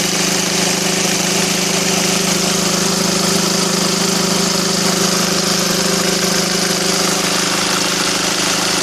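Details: SsangYong Kyron diesel at idle: regular knock about three to four per second over the clatter, caused by an empty crankshaft damper; refilling it with transmission oil cured the knock.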